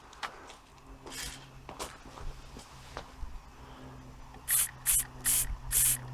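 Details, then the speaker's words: Inherited antique model steam engine, cleaned up and run for the first time in many years, cold start with little steam pressure: faint uneven chuffing, then four sharp hisses about a second apart. Labouring on low pressure. "we're starting to get something out of it now it's trying now"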